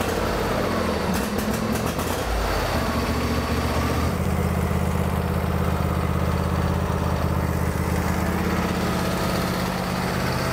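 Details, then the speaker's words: Craftsman lawn tractor with Briggs V-twin, hard to start since new, after adjusting choke cable back about 1/4 inch to remove choke linkage play; short crank, catches quickly, steady even idle; normal start and idle. "And now you'll notice when you go to start it, it starts much easier."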